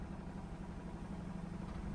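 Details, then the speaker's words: Mazda RX-8 rotary after tightening a loose, intermittent battery terminal: idle low, uneven and lumpy, never settling smoothly; rough idle not previously seen, cause not pinned down, alongside battery and steering angle warnings. "i've never had this issue where it's um having a bad idol like this"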